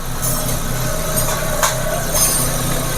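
Steady, even hum over the idling engine with no grinding, rumble or roughness; the fan runs smoothly at this moment.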